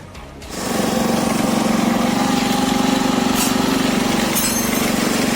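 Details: Customised Honda Dio with modified engine, new cylinder kit fitted, fresh engine oil and petrol, first start: catches and settles into a steady even buzzing idle with no knocks or rattles, music over it; running normally.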